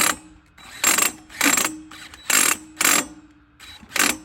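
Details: Cordless drill used to try starting a dual-fuel Champion 10,000-starting-watt generator: harsh ratcheting bursts, about six in four seconds, each time the trigger is pulled; the drill's gears are skipping and its gearbox is slipping, damaged.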